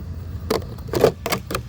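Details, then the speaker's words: RC car steering: short, harsh buzzing and clicking bursts each time the steering moves; owner first suspected the wrong servo horn, but with the horn removed the servo would not spin, so the steering servo itself is failing. "so let's turn over here you can hear clicking see that's what makes me think because this is not the right Servo horn"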